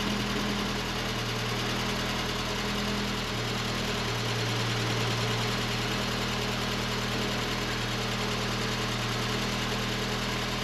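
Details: 1989 Volkswagen Cabriolet engine, first start after two years sitting in a field and a mouse-chewed engine harness replacement: steady, even idle with a constant low hum, no misses or knocks; runs fine with great oil pressure.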